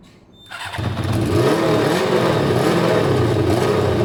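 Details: Kawasaki ZL600 with three air holes drilled in each carb intake and air filter removed: cranks, catches and climbs to an uneven, lumpy idle; now needed choke to start, owner thinks three holes is too much air.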